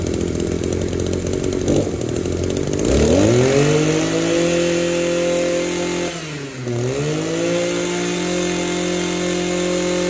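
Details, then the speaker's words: Echo two-stroke trimmer after its no-start fix: the intake manifold bolts had backed out, causing a vacuum leak, so they were snugged up and the carburetor refitted with a new gasket. It catches, revs up, dips once, then settles into a steady healthy buzz. "Right, we got that echo going again."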